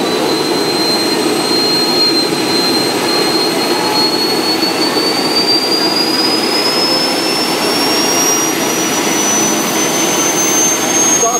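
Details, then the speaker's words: 5-inch gauge model gas turbine locomotive (single-stage centrifugal compressor, axial turbine, vaporizing combustor) on kerosene: smooth roaring rush with a thin whistle climbing in pitch as start motor drops out and it runs itself up to idle; normal start-up. "motor dropping out it's now running by itself going up to idle"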